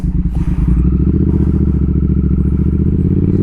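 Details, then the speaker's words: Triumph Speed Twin 1200 with Brembo brakes, after a cheap anti-squeal fix, at the first low-speed stop while cold: twin thumps as it rolls to a stop with no squeal or hiss. The brakes are quiet now. "premiers feux font du premier stop elle va ça grince pas du tout"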